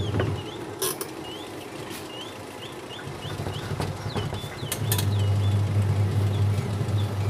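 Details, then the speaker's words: Aqua QW-781 XT twin-tub washing machine after repair: smooth, steady low hum from the wash motor, even with no scraping or knocking; spin and wash both running normally. "Oke normal sobat pengering sudah normal kemudian pencuci juga bagus"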